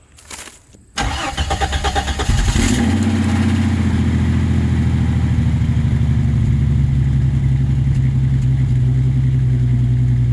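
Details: 1989 Jeep Cherokee XJ, 4.6L stroker I6, after installing a Flowmaster 50 Series Delta Flow chambered muffler: cranks, catches after about two seconds, settles into steady even idle with deep exhaust rumble; healthy running, mild from inside, louder outside.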